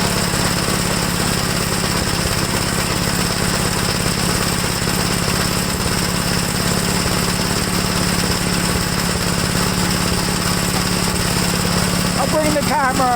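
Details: 1969 Gravely LI intermediate-speed single-cylinder garden tractor, no governor, about half throttle: loud uneven stumbling chug; owner says it runs really bad once warmed up, engine feels tight. Rough running engine.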